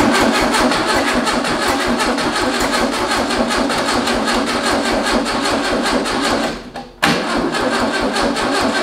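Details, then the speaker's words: VW-powered tracked trike, carb float bowl filled by hand and the carb leaking slightly: steady cranking that never catches and briefly drops out. The starter is failing and smoking; timing also seems off, with backfiring through the carburetor. "this starter is about on its way out the power going to the coil"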